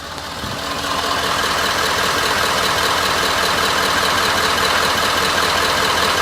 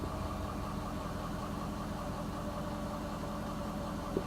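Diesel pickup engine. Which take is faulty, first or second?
first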